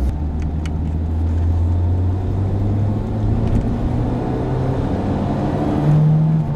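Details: 22-year-old car with 150,000 km while driving: deep droning airplane-like hum under road noise that rises and falls with vehicle speed, typical of a worn wheel bearing.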